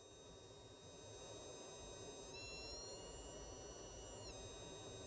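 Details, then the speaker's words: IRFZ44N MOSFET test circuit with power supply raised to about 10 volts, potentiometer varied: thin high-pitched whistle of several steady tones stepping up and dropping back with load; whine changing with load. "I push up the voltage here to to 10 volts I believe like that and now you can hear that sound and when I'm switching from from this potential meter pay attention to the sound"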